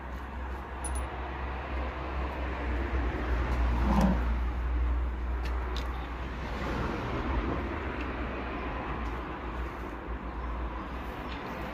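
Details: BMW 318d GT with B47 diesel engine running with a dull, fairly regular bottom-end knock, roughly four a second; bottom end failure from a spun rod bearing.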